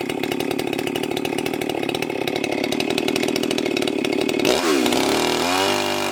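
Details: Husqvarna 394XP chainsaw, freshly rebuilt and ported, first shakedown runs cutting a log: screams at high revs, settles into the cut and holds speed without bogging or stumbling. Runs normally; may lean the low jet slightly and richen the top end.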